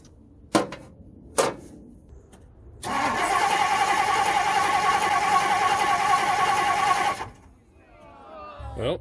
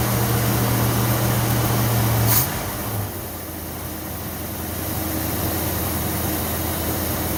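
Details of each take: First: 1964 Ford Thunderbird with a new voltage regulator, starter relay and coil fitted. The starter turns the engine over at a steady even rhythm for about four seconds but it never catches. The fuel pump works and the faulty distributor is replaced with a Motorcraft unit. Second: 1964 Ford Thunderbird V8 after distributor replacement, plug wires moved one spot over: started instantly, steady even idle with smooth low rumble and no misses, ticks or knocks; timing still to be fine-tuned.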